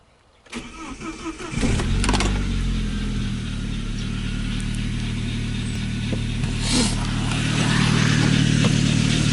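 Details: Saab 9-3 cranks and starts, then idles with a low rhythmic hum pulsing about three times a second; it lasts 5–10 minutes or about 2 km after start, then goes silent; cause unknown.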